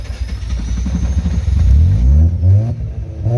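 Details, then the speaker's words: Freshly rebuilt Mazda RX7 FC rotary that had flooded, restarted with fuel pump power cut then given throttle: catches and revs cleanly, pitch sweeping up and down smoothly; normal rotary revving once flood cleared. "Oh, there it goes. Give it a little gas. Oh. When it starts going, then give it some gas and let it rev up. A bit of magic."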